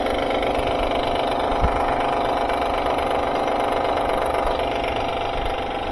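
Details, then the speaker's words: Honda 2012 Pilot at start-up: a fast, uneven slapping rattle of about four a second over the idle as the loose timing belt flaps from a defective tensioner; timing belt and water pump kit replaced. "So, it's clapping due to the loose uh due to the defective timing belt tensioner. So, that's why that timing belt is flapping causing that rattling noise."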